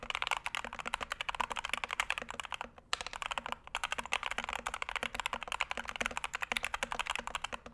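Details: Punkston TH61 keyboard (steel plate, stiff typing) typed on: quick, even, crisp, fairly deep clacks in a quiet room with no rattle; a sound, well-tuned keyboard.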